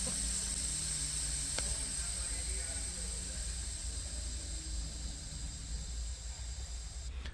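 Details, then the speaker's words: Truck/tractor-trailer air brake system charging during CDL leak test: engine off, key on, tractor and trailer supply valves pushed in; steady even rush of air without pulsing as tanks fill, waiting for gauge to stabilize; normal charging, no trouble. "Push in both the tractor and trailer valves to supply air, the mustard and the ketchup. Wait for the air gauge to stabilize."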